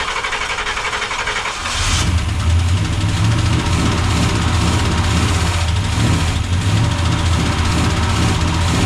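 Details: 1976 Chevrolet C30 dually, freshly swapped Gen 6 454 big block with hydraulic roller cam, first starts: cranks, catches, then a lumpy, uneven beat that never settles; suspected carb, vacuum leak found at unhooked TH350 line, oil spraying on left header.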